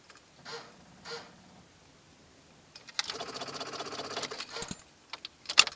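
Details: 1997 Chevy Silverado 2500HD 6.5 L turbo diesel, no crank: fast dry starter-solenoid chatter for about a second. Owner suspects weak batteries, which are charged but unverified. A new PMD is fitted, and the wait-to-start light rarely comes on.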